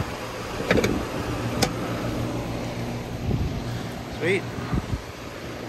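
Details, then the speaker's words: Heat pump outdoor unit after replacing burnt contactor and restripping a burnt wire: steady low hum under some clatter and knocks; running normally again, supply air about 94°F, 20-degree rise. "she's back up and running"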